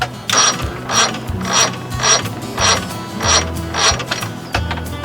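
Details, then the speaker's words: 60 hp Johnson outboard with a new solenoid and fully charged battery (12.98 V, dropping to about 9.9 V while cranking): repeated ratcheting whirrs, the engine never catching; starter fails to crank, starter motor suspected over cables. "ain't gonna do it"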